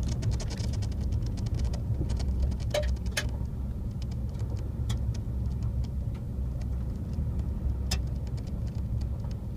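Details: Brand-new 2014 Ford F150 FX2 SuperCrew 3.5 EcoBoost driving, heard from the back seat: irregular sharp clicks and light rattles around the window over steady low road rumble.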